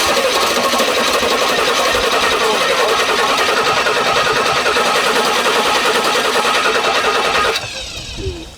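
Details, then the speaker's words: Early-1980s Rolls-Royce Silver Shadow II barn find that would not start, during carburettor float needle and jet work, engine off: fast, busy ticking hum about three beats a second that stops abruptly; the electric fuel pump pumping. "it's the actual fuel pump pumping"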